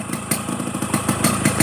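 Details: 30-year-old Yamaha RX King 135 two-stroke after a light restoration, running a freshly refitted stock exhaust: a crisp, slightly tinny popping at an even idle rhythm with no misfires or rattles. A healthy two-stroke idle.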